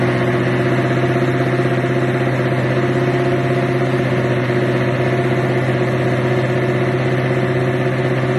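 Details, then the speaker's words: Buick Regal with a carburetor that has no choke, starting cold, air cleaner off: steady loud idle with a slightly uneven lope; rough cold idle, carburetor needs tuning. "tarting up cold. I ain't finna lie to you. She rough, man. With that tokeless. That carburetor with no choke horn. It needs some tuning too."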